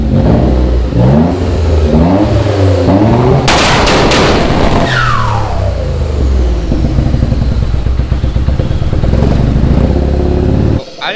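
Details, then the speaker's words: 3000GT VR4 / Dodge Stealth with two-step launch control and flame tune; hard pops and bangs, then a rapid metallic rattle under exhaust crackle as revs fall, like a bad timing chain; abnormal engine rattle, cause unknown, not heard from inside the car. "realize that sounded like a three-wheeler with a bad timing chain. I did not hear that in the car or I would have stopped."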